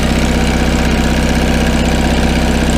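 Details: 1974 GMC RV generator started via starter solenoid jumped during electrical repairs. Steady, even low drone with a constant beat, no knocks or misses; running smoothly at a settled speed.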